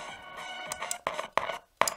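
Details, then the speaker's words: Superadio III after contact-cleaner spray: switches still pop with bursts of scratchy static each time operated, though better than before; power, volume and FM switches thought most problematic; dirty switch contacts suspected. "if i can give you an example it still does make a pop noise this noise it does make"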